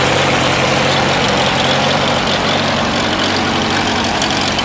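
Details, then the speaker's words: Farmall A tractor, older restoration, fresh battery, holds good oil pressure; small governor issue with no throttle linkage hooked up: loud, steady chugging at a constant rate, no missing beats, knocking or grinding; idles soundly. "It runs pretty good. It's got a little governor issue. There's no linkage hooked up to the throttle control right now, but it starts off good."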